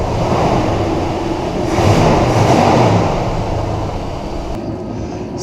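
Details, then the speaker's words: 1977 Ford Thunderbird at idle after fixing an exhaust leak between the cat and pipe using muffler mud and a gasket on a rusted flange: smooth, even rumble with no ticking or puffing; exhaust sealed and quiet. "it ran quite as a mouse which is good"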